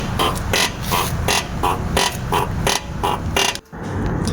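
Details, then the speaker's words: Isuzu D-Max suspension with a cart-like noise, checked on a lift with wheels off. Rapid, regular squeaky creaks over a low rumble. Cause was a worn lower ball joint, replaced with a genuine part. "คันนี้เป็นIsuzuD-Maxช่วงล่างมีปัญหานะครับลูกค้าเอาเข้ามาให้ตรวจเช็คบอกว่ามีเสียงดังเหมือนเกวียนทำการถอดล้อขึ้นลิฟตเช็คตรวจพบเจอปัญหาที่ตัวลูกหมากปีกนกล่างนะครับ"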